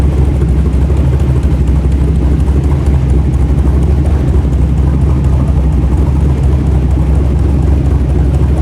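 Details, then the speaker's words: LS V8 (LS3 tags) in a rock buggy build, started after prep, owner's tune loaded, header hot: even, deep V8 rumble at constant idle, no misses or stumbles. Idling better than before; small leak, transmission fluid likely low. "Ran okay, idled okay. It's idling better than it was before."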